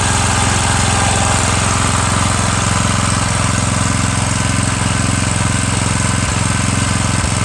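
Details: Murray 17.5hp riding mower with 42-inch deck after new Stens 265-031 deck belt and deck install, gas leaking at the side: steady even beat about three pulses a second under load, no knocks or squeals; PTO clutch slightly sticky, normal running.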